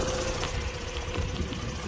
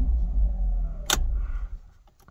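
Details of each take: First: 2006 Mazda RX-8 rotary at warm idle during coil-pack testing: uneven, lumpy beat with irregular low thumps instead of a smooth hum. The rotary runs rough. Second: 2006 Mazda RX-8 rotary, fully warm hot start on petrol after new uprated starter fitted (previously struggled with hot starts; owner suspects worn apex seals): brief, swift crank catches almost at once into a steady idle with warning chimes; healthy starter.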